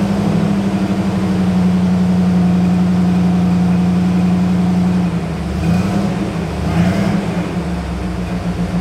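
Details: 1985 Pontiac Firebird Trans Am, crate Jegs 350 carbureted V8, carb leaned slightly with wideband O2 in tailpipe reading 14.6–14.7 air-fuel: smooth steady idle with an even beat, easing a little near the end; mixture well set, idle clean.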